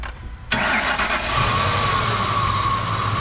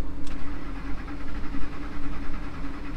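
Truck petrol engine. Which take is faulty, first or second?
second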